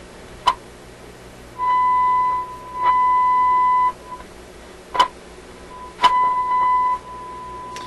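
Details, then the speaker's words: RCA A24 antique vacuum tube radio: steady tone cutting in and out in bursts with sharp crackles as the tuning dial is touched; slightest tuning capacitor movement drifts it on and off frequency, owner suspects scratchiness originates at the tuning control. "so i think what's happening there is the slightest turning of the tuning capacitor is uh resulting in the radio going on and off frequency"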